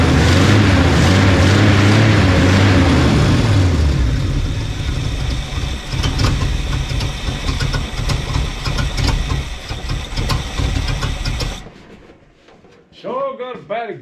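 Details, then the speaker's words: 1975 Chevy 4x4 V8 with new spark plugs, hot-wired, electric fuel pump removed: catches and runs loud and raw with ragged low rumble, then shuts off; bad exhaust leak, no exhaust, smokes, owner suspects no rings. "exhaust leak, I tell you. I knew when I first turned it over."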